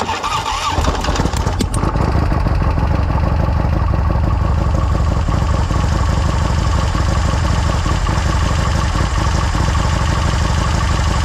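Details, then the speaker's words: Victory V-twin with fresh big bore kit, brought in for tuning: cranks, pops sharply and backfires out of the blown head gasket on startup, then settles into rough, lumpy idle with exhaust chuffing. "He says you can hear it when you start it up. I can already see just a little bit of right here. So we'll see what happens. Oh yeah, we got the backfire right out of the head gasket."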